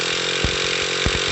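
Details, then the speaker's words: Traxxas T-Maxx 3.3 nitro truck cranked by its starter on a 3300 mAh battery pack: fast, strong, high-pitched whirr spinning the small engine briskly and evenly; much quicker than on the 1500 or 1800 packs. "then I have the good one I have a 3300 May pack in here and this thing is this thing is awesome compared to the other batteries"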